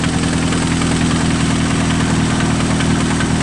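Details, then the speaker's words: Engine at idle during a screwdriver rod-knock diagnosis: rough, steady idle with a faint rhythmic knock each revolution; sounds like the connecting rod banging on the crankshaft, rod knock. "hear that sounds like rod knock right there like the connecting rod is banging up definitely on the on the uh prank shot yep sounds like rod knock"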